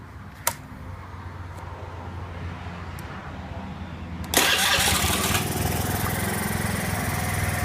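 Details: Zoomer-X motorcycle (no-start fault) after fuel pump motor replacement, fuel pressure about 3 bar, slightly fluctuating: a few clicks, then the engine catches at once and settles into a steady, even idle; starts and runs healthy.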